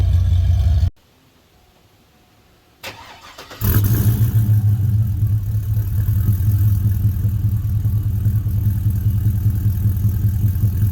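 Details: 2000 Chevy Tahoe after a swap from a knocking 5.3 to a 6.0 V8, with long-tube headers and Y-pipe: after a short quiet spell it barks to life and revs cleanly with a deep, strong, even roar. Normal revving.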